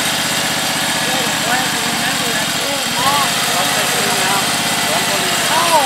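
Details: Husqvarna YTH1342XP 13 HP mower after fixing a bad PTO with a seized bearing, likely what stalled the engine: steady, even drone with no knocks or misses, birds chirping nearby. Normal engine running.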